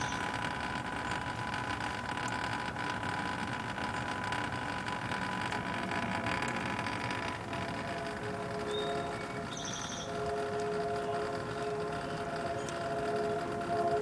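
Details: Home A/C outdoor condenser unit not blowing cold: steady electrical hum with no fan whoosh. The condenser fan motor isn't running and needs replacement.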